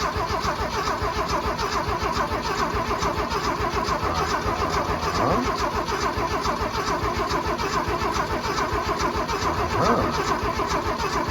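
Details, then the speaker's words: Abandoned 1979 Ford F250 with Duraspark ignition and a battery left with it: it cranks steadily for about eleven seconds without catching, no fuel reaching the engine because it was not switched to gasoline mode. The solenoid can be heard clicking. "well that could be a problem i forgot to put it in gasoline mode"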